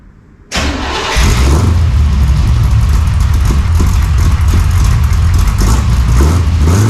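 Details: 1968 Chevy Nova SS V8 after swapping leaking chambered mufflers for Flowmonster 409 stainless straight-through mufflers, no tailpipes yet: catches after half a second, settles into a deep, even, lumpy idle with steady low thump, no leak ticking; healthy.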